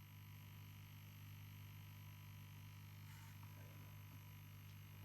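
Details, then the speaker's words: 1950s Masco ME27 tube amp on bench after fitting 5V4 rectifier, coming up to voltage: constant low gritty hum that does not change; transformer hum, suspected filament winding, not confirmed. "So, that must be the filament on that filament winding then on that transformer that's doing that cuz we didn't have that before, did we?"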